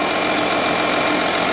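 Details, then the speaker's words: 2013 Audi Q7 TDI after dead alternator replacement, charging 14.2 V at about 10 A at idle, weak original battery kept: even diesel idle clatter at steady speed with no stumbles, knocks or squeals. "yeah and you know what it started right up i guess uh the battery is weak but charging it during the repair brought it back to light"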